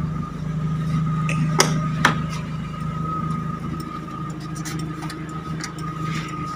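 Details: Timor DOHC (Kia Sephia S515i) injection engine warmed to normal operating temperature after push-start for weak battery, alternator charging 13.9 V: steady even idle with faint high whine, no knocks or misses; runs healthy.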